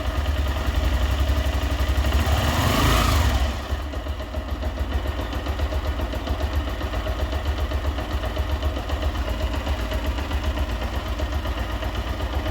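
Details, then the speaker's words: Honda Titan 125 (Titan 2000) pushrod single-cylinder motorcycle idling after replacing camshaft lobe, rocker arm and rocker shaft: even steady putter, valve tapping gone, quiet healthy valve train; idle speed still needs adjusting. "também vou ligar ela aqui para ver como ficou o motor ficou bem silencioso"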